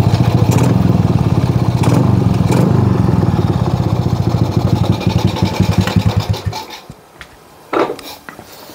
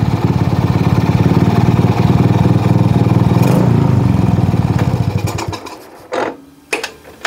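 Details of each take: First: Shogun R110 single after repair, first-gear indicator lamp wiring short fixed: steady, even beat for several seconds without faltering, then switched off; running normally, no longer stalls in gear. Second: Shogun R110 single with gear-indicator plug reconnected, first gear engaged: even idle fades after about five seconds and dies, then a few clunks; short in the first-gear indicator wiring kills the engine.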